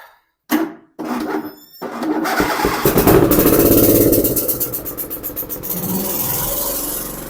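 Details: Husqvarna YTH2454 mower, 24 HP 44 cu in twin-cylinder Briggs & Stratton, running on only one cylinder (exhaust about 84° on the dead side vs 375–390°); lumpy, uneven run with a clicking tick about three times a second; valve cover to be checked, cause unconfirmed.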